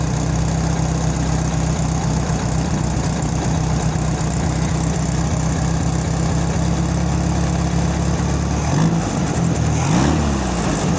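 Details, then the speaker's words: VW Beetle air-cooled engine after a new carburetor and gas tank, once the idle was finally adjusted following a worsening setting: steady, even low hum at idle with no stumble or hunting; the idle is now set properly. "what it's supposed to sound like. I couldn't even get it to hum like that."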